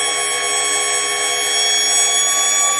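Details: Porsche 924S EV conversion, electric motor spun to roughly 6,000–8,000 rpm without axles: clean steady high-pitched whine with fixed tones, no rattle or knock; very slight vibration at most, not the earlier transmission rattle.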